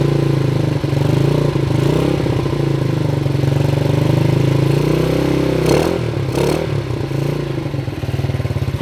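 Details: 1977 Honda CT 125 motorcycle, previous owner says it runs good, riding off in the dark: steady, even low single-cylinder thrum with no knocks or misses; running healthy.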